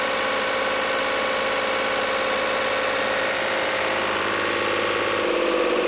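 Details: Lister ST3 diesel generator after new starter, voltage regulator, air and fuel filters, fuel pump, plumbing and oil change: steady even diesel chug at constant speed, no knocks or misses; runs healthy.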